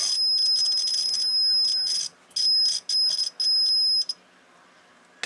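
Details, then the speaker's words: Continuity tester buzzes in ragged, scratchy bursts as the roller is run along the coil of a T-match antenna tuner, showing poor roller-to-coil contact across the coil's length. "you listen for the buzzing in the mediator and she sounds Scratchy that's where she's got some poor connections going across the length of the coil"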